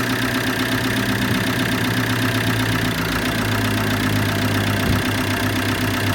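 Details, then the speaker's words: Repaired Combo van diesel idling right after its first clean start: steady, even clatter with no injector chuffing (injector seals holding), no smoke. Sounds smooth and healthy, though a noisy accessory belt is acknowledged. "That sounds perfect. Smooth. We've got no smoke either."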